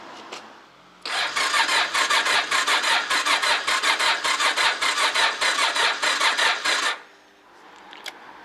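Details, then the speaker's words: Honda motorcycle after 2.5 months standing outdoors in mid-November, battery at about 11.7 V with a fuse pulled: about six seconds of sluggish labouring cranking that never fires; slow crank no start from weak battery, to be charged. "It seems our trick didn't work. Well, I’m putting the fuse back and will be removing the battery to take it home to charge."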